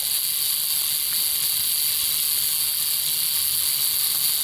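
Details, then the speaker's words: Good reference Model T buzz coil on a 6 V input: a steady high buzz with faint spark crackles and no stutter, and the points generate up to 300 V with bursts of spark. "know if that's showing up so well but every now and then you'll see a burst of a spark that's because the voltage generated on the top of that coil even though it's six volt input"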